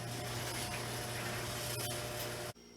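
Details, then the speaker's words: Bluetooth-controlled garage door opener prototype run from its wall-mounted button: press to open, press again to stop, press to close, with the relay clicking; steady motor hum with light even mechanical rattle, stopping cleanly. Normal operation. "if you don't have a mobile device on you and you still want to use a garage door you can simply just press this button and the garage door will open as you can hear in the back and then pressing again will do stop it and then pressing and close"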